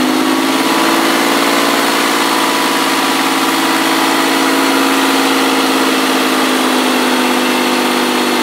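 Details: Ford ST200 V6, first run after head gasket and timing chain repair: a smooth, even high idle with a steady hum and no knocks or ticks. Runs cleanly.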